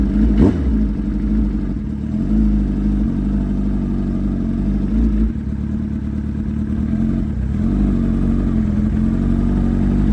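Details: Suzuki Hayabusa with a built motor and aggressive cams, on a road test after cleaning its clogged fuel filter; before, it only revved to about 7–8,000 rpm. It pulls under throttle with a steady, even note, no stumble or cut-out, revving all the way through. Normal acceleration.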